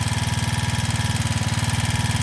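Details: Janus Halcyon 250 with newly installed 28mm Nibbi performance carburetor, after loosening the throttle cable adjuster; quick, even single-cylinder pulses, about fifteen a second, holding steady. Idle is racing too fast (target 1500–1600 rpm); throttle cable tension suspected.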